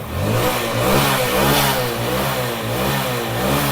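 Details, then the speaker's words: Hero Splendor iSmart 110cc bike after timing chain replacement and timing set, kick-started: engine rises and falls cleanly with each throttle blip, no bogging or stalling; wrong timing chain previously caused missing, cutting out and no pickup. "और देखिए ये रहा back kick में तो start हो गया throttle दे र देखिए अब बाइक बिल्कुल भी दब नहीं रहा"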